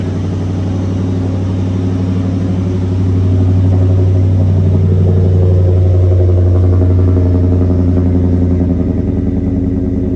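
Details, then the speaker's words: LT1 V8-swapped Mazda B4000 on first start with new exhaust, no muffler box yet: deep, loud, even burble with throttle taps that swell and settle, steady firing, no miss; running healthy. "oh it's so deep that sounds crazy let me give us some Taps here"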